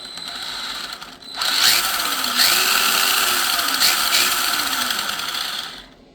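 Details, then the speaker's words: Traxxas Slash electric RC truck driving in a small space doing donuts, high-pitched motor whine with an occasional sharp click; clicking noise while driving. "Or I guess I'll try to do the best donut I can in this little space, but you can hear it clicking."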